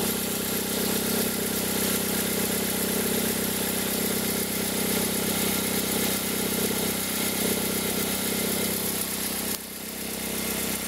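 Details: 2003 Toyota Corolla at an even cold idle: a steady whirring drone, traced by stethoscope to the accessory belt tensioner. It appears in reverse with a slight throttle and disappears as the engine warms. Worn tensioner bearing.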